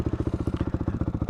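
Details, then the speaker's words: Motorcycle with a Rekluse auto clutch: fast, even single-cylinder thump about twelve beats a second, sitting noticeably above a lazy idle. The idle is set a little too high, which matters because the clutch disengages only when the engine returns to idle. "idle was a little too high, and we'll cover that in a minute."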